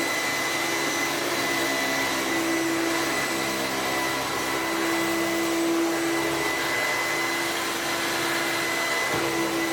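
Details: Sebo commercial upright vacuum plugged in and run to check it still works: even, steady motor whir with a constant high whistle, no rattles or surging. It runs normally.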